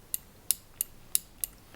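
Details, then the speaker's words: Yamaha CR-1000 receiver, front panel open: the FM anti-noise switch turns with five crisp full-detent clicks, showing a healthy switch, unlike the faulty microphone switch that only half-clicks. "So this here is the FM um anti-n noiseise uh regulator switch. You can hear that it makes a clearly audible click here."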